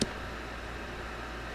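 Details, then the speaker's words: Pride DX-300 tube amplifier on standby after HV supply replaced with Nomad HV PCB and new caps, slowly powered up on a variac near 90 V, about 1800 V HV, 50 W; soft even blower airflow with faint hum, running smoothly. "You know, blower's running, the tube filament is starting to, you know, probably kick in."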